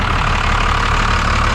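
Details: 1991 Freightliner FL70 tow truck, believed 5.9 12-valve Cummins, sat about 15–20 years, revived after fuel bleeding; steady even low rumble with no knocks or misses, idling smoothly and healthy.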